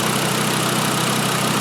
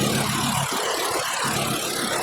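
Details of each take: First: 2012 Volkswagen Jetta 2.5 L five-cylinder, after replacing all five worn, wide-gapped spark plugs: steady, even idle with a smooth low hum and no skips. The constant misfire is cured. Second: 2012 Volkswagen Jetta 2.5 five-cylinder with constant misfire, found by unplugging coils one at a time at idle: lumpy uneven idle with irregular stumbles; one cylinder dead, owner suspects bad coil.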